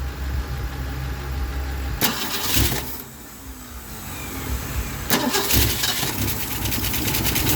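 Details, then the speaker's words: 1964 Mercury Comet Caliente Convertible V8 after a 10-year full restoration, first start in 25 years: repeated cranking catches, fires and settles into a steady, even idle with no knocks or misses; normal start and idle. "Oh, sounds good. Can't reach it. There we go. Got it going."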